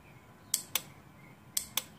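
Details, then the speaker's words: Triumph Trophy SE motorcycle, newly wired air-horn relay tested before the horn is connected: two pairs of crisp clicks about a quarter second apart, one pair per second; relay clicking means it's properly wired. "know if you can hear it click but it's clicking that means it's properly wired"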